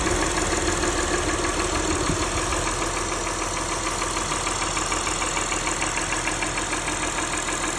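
Fast, fairly regular ticking at about 200 per minute over an idle that is slightly uneven; a top-end tick of unknown cause.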